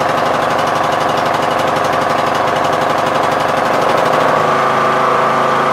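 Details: MTD Yard Machines lawn tractor, 20 HP Briggs Intek, Nikki carb not yet cleaned, bad old gas drained, on choke; mixture screw broken so it can't be adjusted. Engine beats unevenly then changes note: surging.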